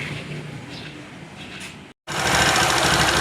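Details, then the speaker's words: Honda CD70 70cc motorcycle after timing chain noise repair, timing and oil pump sprocket adjustment and carburetor refit: quick, even single-cylinder patter with steady buzz, no knocks or rattles; engine sound fixed. "तो bike हमारी adjust हो चुकी है sound आप इसका सुन"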